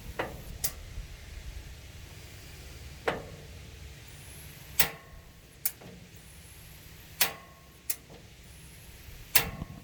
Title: 32" Summerset TRL back burner misfire